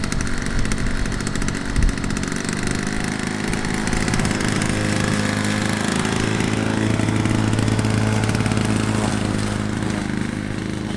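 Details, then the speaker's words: Classic Victa PowerPlus two-stroke mower (carburetor kit fitted earlier), cold-started first pull after sitting 6 months, cutting thicker grass: a steady, crisp buzz holds even revs with only slight dips under load. Healthy, strong running. "she started first pull and Absolut cut the grass just flawlessly pushing through that thicker grass with no issues at all"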